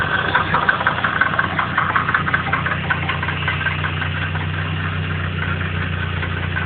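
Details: Nissan CA18DET turbo four-cylinder at idle with an uneven light knocking over the idle early on, fading slightly as it settles; source not pinned down, possible engine knock, cause unconfirmed.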